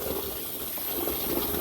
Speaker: all I'll do is turn on the faucet, fill up the inside. All right, so now the water's coming in